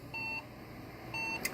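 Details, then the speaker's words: HP EliteDesk 705 G1 SFF desktop at power-on with RAM removed: high beeps in the repeating five-beep code, LED flashing; memory or motherboard hardware fault. "as you guys see because it keeps giving me the same code took the memory RAM there's nothing there so so far now there's a hardware issue"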